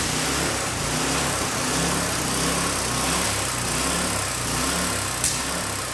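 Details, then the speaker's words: Craftsman 917.293301 rototiller small single-cylinder engine on a test run after a carburetor rebuild (float fault). It chugs with an uneven, hunting beat that is worse than last year with the new air filter's restriction; owner suspects the carburetor needs a tune-up. "so from that little test run and it was doing that a little bit last year it seems to be doing a little bit more now that it's got the little bit of restriction from the air filter on there the carburetor could use it with a little bit of a tuneup"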